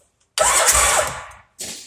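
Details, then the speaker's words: Arctic Cat Wildcat big bore after engine rebuild, first crank with fuel lines not yet run and a MAP sensor code: about a second of fast even cranking with strong steady churn, then a short second burst; compression sounds healthy. "she turns over, and it sounds like she got hella compression."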